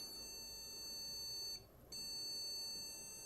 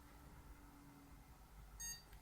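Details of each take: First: Desktop PC powered on with all RAM sticks removed: long beeps of about two seconds repeating at intervals until switched off, the POST code for no memory detected on this motherboard. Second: Computer power-on during RAM troubleshooting of a complete working system: CPU cooler and PSU fans hum, then one short high POST beep and nothing after, display appears; CMOS battery/clock issue noted but it posts normally.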